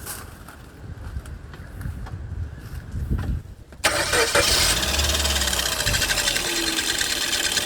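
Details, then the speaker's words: 2005 Suzuki Swift engine catches and settles to idle with a steady gritty whirr that persists with the belt disconnected and slack, showing the noise comes from the water pump bearing, not the belt. "that's how you determine guys the water pump uh bearing gun okay it's not the Bel it's the water pump making the noise as you can see as you can hear"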